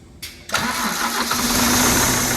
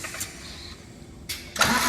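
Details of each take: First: Scania truck diesel, first start after an engine rebuild: cranks briefly, catches and settles into a steady idle with a thin constant squeal on top, which the owner thinks is a dry belt; oil is seen reaching the top end. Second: Scania truck diesel, first start after an engine rebuild (all six pistons refitted): brief cranking, a pause, then a second crank that catches into a loud, steady roar as the engine fires and keeps running.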